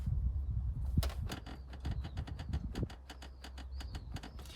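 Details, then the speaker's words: BMW F46 Gran Tourer 218i: irregular creaks and high squeaks as a rear seat is rocked by hand. This is the squeak heard over bumps, traced to that seat and absent when the seat is moved forward. Anti-squeak tape is planned; cause not confirmed. "Так, ну вы уже, скорее всего, послушали, как скрипят задние сиденья в дорогах вот на кочке."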